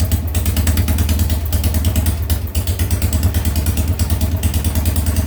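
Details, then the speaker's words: Harley Sportster first start after top-end rebuild (new lifters, rings, cams, porting): lumpy, uneven V-twin beat with irregular dropouts, rear cylinder misfiring and not running as hot as the front; ignition coil or Ultima ignition suspected. "a little misfire on that coil there on the rear cylinder it's not burning hot like the front is have to swwa that coil out without the ignition going off"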